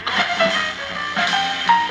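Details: Vintage GE P977 AM/FM transistor radio, which had been quiet, after capacitor replacement: music plays loud and clean with no crackle, dropouts or hum. An intermittent ringing and FM flutter were noted elsewhere.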